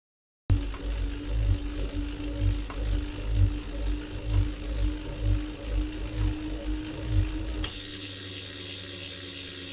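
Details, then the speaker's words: Tacx NEO 2T bike trainer, in use about 1.5 years. Steady whir with a rough rhythmic grind about once per second while pedalling, then a coarse, unsmooth freewheel spin-down: grinding noise inside the trainer. "after pausing this video i will introduce a grinding noise and when i stop pedaling the sound of wheel is not not very smooth"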